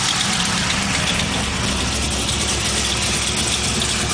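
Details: LS1 V8 steady idle with a light, quick lifter-like tick on top; first taken for a collapsed lifter, it turned out to be an exhaust leak.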